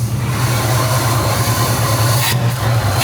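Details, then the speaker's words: 1971 Pontiac Firebird V8, cold and idling a few minutes after distributor points-to-electronic conversion and carburetor work, timing not yet set: a couple of revs, deep even burble, no misses or knocks; sounds healthy. "It's been sitting here idling for a handful of minutes now. We'll give it a couple revs and see see what happens."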